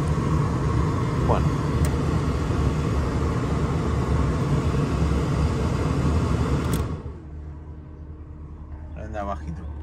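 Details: Renault Clio RSI abandoned for months, that wouldn't start from the key, now running: low, steady rumble, even beat, no misses or knocks; normal idle before shutdown.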